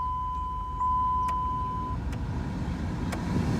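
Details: 2005 Dodge Ram 1500 heater/AC blower running with even, low airflow rush and no hum or buzz after removing debris that had imbalanced the blower motor.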